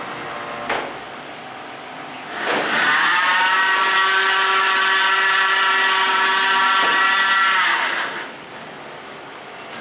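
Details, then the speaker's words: Abell hydraulic elevator, Menards, Dickinson ND, 4,500 lb capacity: low, cow-like moaning drone swells as the door moves, holds about five seconds, then fades; noisy door operator. "But yeah, this thing is terrible, to be honest. Nice. It sounds like a cow. I don't know. It's just so annoying."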